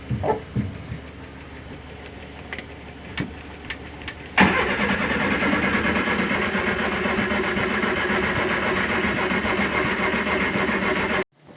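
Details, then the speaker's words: Barn-find Triumph Spitfire on jumper cables, carbs freshly partly rebuilt after being clogged: slow clicks, a few firing pops and one giant backfire, then steady fast cranking that never catches; crank, no start. "it wanted to fire a couple times it had a giant backfire that like pressure almost hit my Jeep like it lit up the entire garage but yeah it doesn't really want to start right now"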